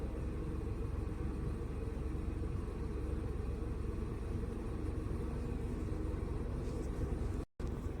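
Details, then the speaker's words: VW Polo petrol after new spark plug and coil refit for P0301 cylinder 1 misfire and stalling after 10 km; faults cleared: low, steady idle rumble with an even beat and no stumble or skip; engine running smoothly. "ये engine भी देख सकते हैं। Engine भी silent है पूरा। कुछ problem नहीं है।"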